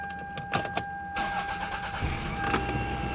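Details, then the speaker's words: 2001 Toyota Camry 5S-FE, about 220k miles, after replacing worn spark plugs that caused random misfire and rough idle; keys rattle, brief crank, catches and settles into even idle with no misfire at all. "miss none whatsoever give it a chance to kind of like idle for a bit"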